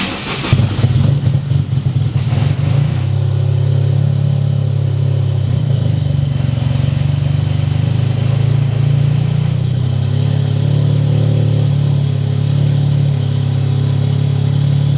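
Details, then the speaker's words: Freshly built Toyota GR Corolla idling with the wrong tune loaded: steady low idle, slightly lumpy and unhappy because of the cams, but no dropouts; the earlier misfire is gone. "It's not running very happy cuz the cams and everything else, but yeah, misfires are gone."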